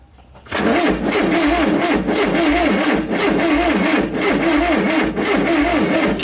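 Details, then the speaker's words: 1973 VW Bus (Westfalia) after 23 years stored in a shed, first start attempt: steady rhythmic cranking but never fires; no spark, ignition points found furry and green with corrosion, replaced with new set. "Furry, furry, furry, and green. So, no good. That would be a good reason why we're not getting spark."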